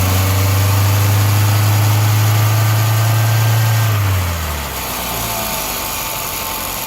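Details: 2011 VW Golf 6 1.2 TSI 63 kW petrol engine idling with a strong steady low drone that sags and fades; owner reports a strange noise.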